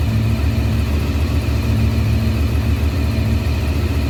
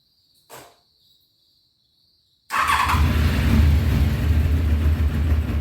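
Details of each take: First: 1993 Honda VFR750F, carbs cleaned, first start in over a year, air filter not yet fitted: steady, even low burble idling at about 1200 rpm with no misses or knocks; normal idle. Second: 1993 Honda VFR750F sat over a year, before carb cleaning, cool day, full choke then a little throttle: about three seconds of cranking, a brief stumble, then dies; hard starting, previously ran only on choke, clogged carburettors.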